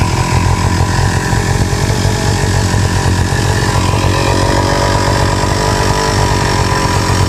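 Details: Two-stroke grass trimmer (brush cutter) on 25:1 or 50:1 gas-oil mix that wouldn't start, started without repair with the choke set midway; loud, steady buzz holding an even speed without stumbling or cutting out; running normally.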